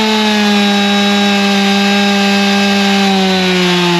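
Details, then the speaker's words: G366 chainsaw after big carb swap, tuned to about 13,132 rpm: high steady full-throttle buzz sags slowly in pitch, falling on its face with no power at low speed; a major part missed in the swap. "even from that half pull we had as soon as it got to the low speed it was not liking anything you could hear it fall on his face made no power even though it was spinning RPM"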